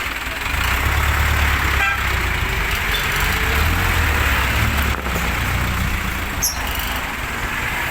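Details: Isuzu 4BC2 diesel truck: a steady clatter at an even pace with traffic noise, no misses or knocks. It runs normally after a bad battery, not the starter, was found to cause the clicking no-start.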